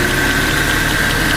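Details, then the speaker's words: Jeep engine, warmed up a little: idle with a light, quick ticking riding over the steady engine note; the top-end tapping is heard more clearly once warm, cause not pinned down. "I can definitely hear that check a little bit more I don't know if you can hear is on camera and I think I just figured out with that ticking noises what I was hearing"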